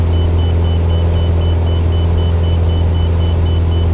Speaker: That noise is an inner marker indication. It's a shrill warning like sound, which this close to the ground on departure is unsettling if you're not expecting it. It's not a traffic alert or any other problem. It means we've passed over the inner marker beacon for the ILS for runway 14, the opposite runway from where we